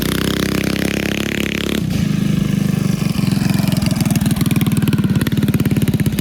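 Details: 1971 Go Devil Model 104 mini bike with Tecumseh HS40 engine, revived: fires up and settles into a quick steady putter that picks up smoothly with throttle; runs cleanly.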